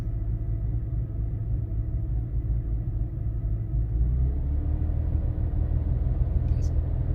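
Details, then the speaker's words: BMW M3 with service engine light on, returned unfixed after nine months at a shop for misfires: fine briefly at start-up, then a low, lumpy idle with uneven beat and stumbles; still misfiring at idle and low RPM. "Like, you first start up and it was like kind of fine for a second, and then you can hear it start to misfire at idle. Idle and low RPM."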